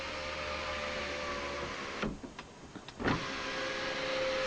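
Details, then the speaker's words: 2004 Jeep Cherokee, after replacing the sunroof motor with a $25 junkyard unit, headliner refitted, key on: smooth steady motor hum with a brief pause and clean stop, no grinding; full function without calibration. "function didn't even need to calibrate the motor just having to put it in and he's not working"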